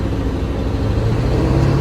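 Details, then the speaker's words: Ford F550 7.3L Powerstroke diesel idling at 610–690 rpm, injection pressure around 725: a deep, steady drone that wavers slightly in pitch. There is a mild idle surge, cause unconfirmed, though it runs much better than before. "Right now it is idling at, where did it go? 600 and, fluctuates between 610 and 690. So there is still a little bit of a surge there."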